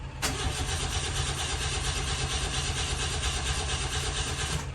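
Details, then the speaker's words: 1985 Ford Laser KB GL with throttle body injection, which sits for long periods; the fuel pump is left running first, then the engine catches after a short crank into a rough idle, still a bit loud despite a new exhaust. "and I think sometimes this thing needs a little help you just let the fuel pump run for a while"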